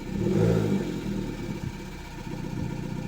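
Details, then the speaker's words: Fiat Panda 100HP with swapped Bravo 1.4 T-Jet turbo engine, first start, no coolant lines fitted: short rev then lumpy, uneven idle with irregular beats, sounding like it runs on two cylinders; cause unconfirmed, slight oil smell. "It sounds like it's running on 2 cylinders. I'm gonna try and give it some gas."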